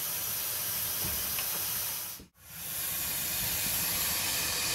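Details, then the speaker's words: Dodge 2500 Cummins diesel with the intake pressurized to find a boost leak; loud steady hiss of escaping air felt at the intercooler boot, which has either slipped off or rubbed a hole. Boost leak. "oh yeah i can feel it with my hand it's blowing against my fingers okay right there it is right there right at the end of my fingertips right in there the boot the boot is either slipped off or she's rubbed a hole in it"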